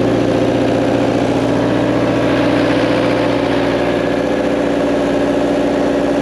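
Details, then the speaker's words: JLG manlift diesel bought with a bad engine, running after repairs: steady, even idle with regular firing beat, no knocks or misses, runs like new; normal idle. "I cannot believe the subing still work you do level love awesome I it runs like a brand new one it does"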